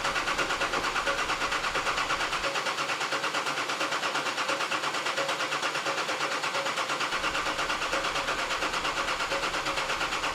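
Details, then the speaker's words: Nissan Patrol diesel, first start after fitting an upgraded 11mm boost-compensated injector pump, primed: steady rhythmic cranking at about three compression pulses a second without catching; owner feared the timing was wrong. "now as you can imagine I was a little bit nervous that the car didn't want to start straight away I thought I might have sted Ed up the timing or something"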